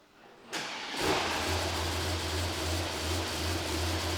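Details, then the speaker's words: 2021 Mercedes GT63s AMG V8, an auction non-runner driven with a coolant leak until it wouldn't start, primed to circulate oil, on its first start with no coolant in; it idles with a slightly uneven, lumpy beat, running rough, cause to be diagnosed. "McCoy's running a bit rough though he's not wanting the best"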